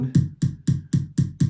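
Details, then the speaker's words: 1980 Hondo II Professional Series bass, neck pickup volume up through an amp, bridge off: six even low thumps as the pickup is tapped, gone with volume off; neck pickup wired and passing signal during the broken selector switch repair. "and here there's nothing in the bridge and then you hear that tapping if i turn the volume back off it goes away so we know that at least the neck pickup is wired there's signal coming through"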